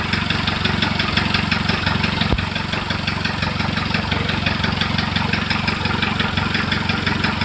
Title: Стук в двигателе. Что может быть?